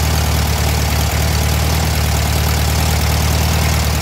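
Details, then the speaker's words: Warm VW Thing air-cooled flat-four during a tune-up: a steady, quick even beat, idling well above normal. A too-tight throttle cable is holding the carb open. "yeah the idle is really high right now because you're I'm going to my too tight disconnect that cable all [Music] right look yeah the idle"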